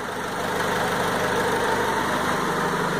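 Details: 2000 Honda Civic G6, 110,000 km, after full service with valve adjustment, timing and idle adjusted: smooth steady idle around 750 rpm, no knocks, misses or hunting; healthy.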